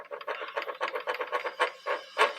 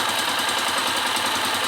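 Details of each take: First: 2002–2003 KSZ motorcycle engine, clutch removed, shaft turned by hand: rough, gritty rasping in uneven bursts; worn gearbox shaft bearing, possibly from overdue oil with moisture, needs replacing. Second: 2002/2003 KSZ single-cylinder motorcycle after an engine rebuild with new bearings, cylinder top end and connecting rod parts; busy, even idle with no knock, plus hiss from a small hole in the exhaust pipe.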